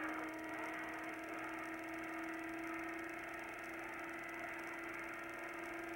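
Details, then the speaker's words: 1999 Air-Way Centurion vacuum demo: steady faint motor whine sagging in pitch as the cloth bag's pores clog and airflow is choked; bag stopped up. "We stopped the pores of the bag up where it couldn't pull air through it."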